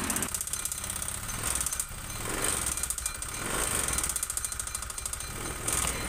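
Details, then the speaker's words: Honda Vario 125 injection (K59), never serviced and oil never checked: with the CVT roller housing removed the engine still runs with a harsh, rapid rattling knock as revs rise and fall. Suspected piston or rings, possibly the cam chain tensioner, not confirmed. "diperhatikan suaranya ketika bagian CVT tanpa rumah roller suaranya itu masih utuh masih utuh kasar seperti ini ya ini berarti fix yang bermasalah di bagian mesin tengahnya bisa dari sehernya atau pistonnya"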